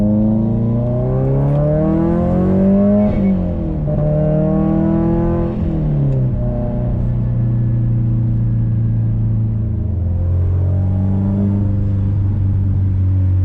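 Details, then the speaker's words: Subaru WRX STI on a test drive after the Kartboy solid rear end links were redone on a Faction Fab 22mm adjustable rear sway bar, previously popping on the passenger side: clean pulls through the gears with no pops or clunks. The rear suspension is quiet. "I believe we have our problem fixed I've not heard any of the popping or any of the issues that I heard before"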